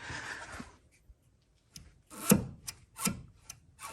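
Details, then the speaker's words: BMW Z3 2.2 that failed its MOT. Levering the wishbone joint gives irregular knocks, rattles and loose clunks, showing lots of play; the rear joints are worn and the other side is not much better. Wishbones to be replaced. "well you can hear anyway it's got lots of play the other side isn't much better"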